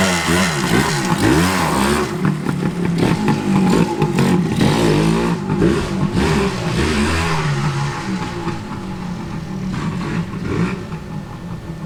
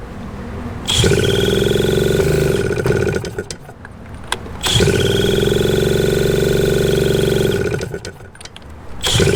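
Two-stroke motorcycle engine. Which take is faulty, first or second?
second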